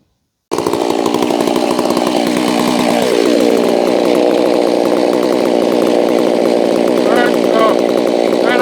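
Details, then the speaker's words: Holztfforma G660 chainsaw used for milling, recently losing power at top-end RPM, cover on, tach reading about 13,000 rpm (way too high); steady, very high-pitched scream with no four-stroking, running too fast and lean at full throttle before high-speed screw adjustment. "She's running about 3,600. Oh yeah, that's way too high. So I think I saw 13,000 something there."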